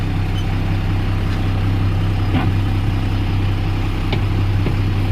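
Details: Tata BS4 24-volt lorry diesel after a battery main-line wiring repair fixed a starting problem and dashboard red light; steady, even idle with a low, regular thrum and no misses or knocks: running normally.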